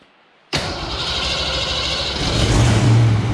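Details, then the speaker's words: Project 4TO8 V8, first-ever start: starter catches after a brief pause, the engine fires at once and settles into an even, steady idle; healthy start. "she's alive idling great dude"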